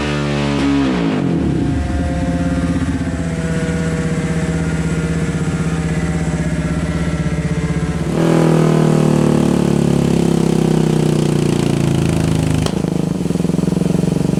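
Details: Yamaha Raptor 700 quad on a dyno after custom tune, new Rossier exhaust and Fuel Customs intake; loud single-cylinder barks rising cleanly through repeated revs, no misses, knocks or rattles. Normal running under load.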